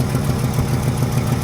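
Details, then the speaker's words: Truck with a freshly rebuilt Carter downdraft carburetor, warm idle: steady, even low beat with no misses or knocks. Normal healthy idle; owner notes a miss under throttle and load, a big exhaust hole and heater hose leak, compression test next. "All right, so it's up to temperature. It's idling beautifully."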